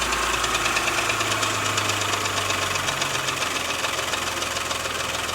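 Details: Porsche Macan S after timing chain and tensioner replacement, started with no fans: sharp metallic knock repeating quickly and steadily over idle as it comes off fast idle, hard and hollow from one cylinder; piston slap.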